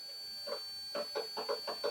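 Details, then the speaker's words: Guitar fret leveling with a FretFixxer three-fret rocker. About six sharp ticks come as the straightedge rocks on one fret, which sits proud (high) on the low E side. "you can hear it rocking there, but not here, because it's high on the low E side."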